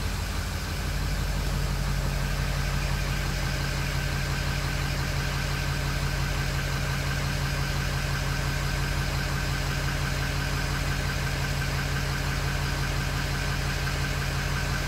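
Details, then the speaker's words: 2005 Ford Super Duty 6.0L Powerstroke diesel, 287,000 miles, after O-ring repair in high-pressure oil system cured the no-start: fires cleanly, settles into steady even idle with no misses or knocks. "that's what we like to hear purring all beautiful so there you have it the Ford 60 diesel no start due to an O-ring"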